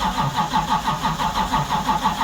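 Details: 1970 Charger 640hp Mopar stroker after long sitting, pedal pumped: steady starter churn about six compression pulses a second, never fires; crank no start, spark and fuel not yet checked.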